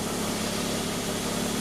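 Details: Mazda RX-8 rotary, first start after engine rebuild and reinstall; even, steady idle with a smooth buzzy drone and no knocks, misses or surging; the engine is running healthy, with no check engine light.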